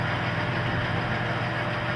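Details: Oil-test rig (rotating ring on a stationary specimen) with a leading-brand motor oil, new specimen, no weights loaded yet; smooth, constant low hum with no knocking, squeal or grinding, running quietly unloaded.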